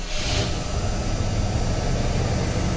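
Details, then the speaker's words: 1977 Cadillac Coupe DeVille, carbureted, 47,875 miles, just after a cold start with choke on and fast idle raised: deep, even, steady low V8 rumble, no knocks or misses. Normal cold-start idle. "check this out runs beautiful of course the rpm is slightly higher because it is a carbureted vehicle the choke is on and the throttle is bumped up a little bit"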